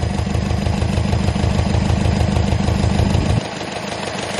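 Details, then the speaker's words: Subaru STI idling badly: deep, uneven lope stumbling about three times a second, engine shaking, with a cylinder 4 misfire code and an exhaust leak; the roughness appears only at idle, not under acceleration. "it hits idle again right now it's idling it's missing really bad throwing this uh misfire related pfffe or PFF and then it's throwing my cylinder 4 misfire detected"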